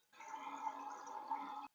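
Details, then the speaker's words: Mansfield flush valve toilet after flushing: tank fills like normal, then a steady hiss of water keeps running and hasn't shut off; the red rubber seal has come off the flush valve and isn't sealing, fixed by replacing the gasket. "every time i flush let me show you what happens fills up like normal still waiting so i don't know if you can hear this but it's still running"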